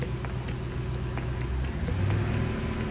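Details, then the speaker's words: 2006 Ford F-150 5.4 V8 after repairing melted O2 sensor connector on exhaust that blew fuse 32 and caused limp mode; previously sputtered/misfired around 2000 rpm: even low idle burble with a few light ticks, steady, no stumble; healthy. "because before when I held it at like 2000 it would you would hear it misflowering or sputter right now she's holding steady"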